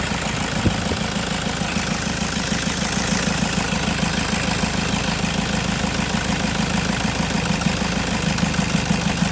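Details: Toyota Innova pickup diesel idling with a rough, uneven knock about three per second over the clatter; suspected injector problem, not confirmed.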